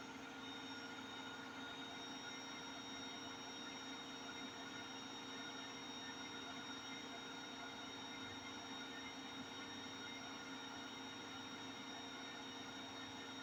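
Constant heavy roar with steady tones through the high spin, like a passing train, pointing toward worn drum bearings. Cause suspected, not confirmed.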